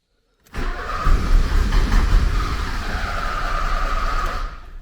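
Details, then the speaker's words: 1979 Porsche 924, after new fuel accumulator, fuel line repairs, cleaned fuel pressure regulator and plugs: starter churns steadily at about 2.5 beats per second with no firing; cranks but won't start. Cold start valve suspected despite good fuel pressure. "no different result so i think the cold start valve is what's happening here now because i'm sure there's enough pressure there now"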